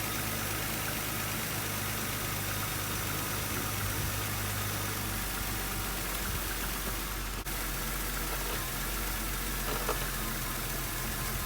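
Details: 1995 Audi A6, 5-speed, 67,000 miles, at idle: a constant airy hiss over the engine hum with no rhythm, a vacuum leak from old, brittle, cracked rubber hose, heard while checking for leaks after a power steering pump repair.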